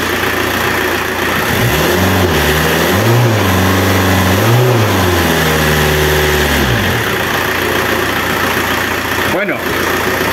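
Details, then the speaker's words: Renault Kangoo F8Q 1.9 diesel converted from a Lucas Delphi DPC pump to a mechanical Bosch VE pump, timed with a dial indicator: a steady, even clatter that revs up and settles cleanly. No knock or misfire, sounding healthy. "motor El sonido del motor se escucha impecable muchos dijeron que al instalar bombas mecánicas el motor queda más ruidoso"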